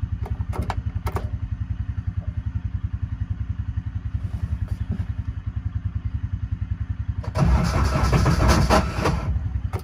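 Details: Intimidator truck-series UTV with a 1000cc Kohler diesel, glow plugs warmed first: sluggish, even cranking at about three and a half turns a second for seven seconds before firing; starter issue suspected and a bigger battery needed.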